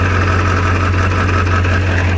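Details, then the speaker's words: Ford Powerstroke 7.3 diesel truck idling in neutral: loud steady idle with a constant rattly clatter from the bell housing area that goes away in gear or reverse; owner suspects a transmission issue. "pretty sure you can hear what I'm talking about does not sound good however I put it in gear that noise goes away"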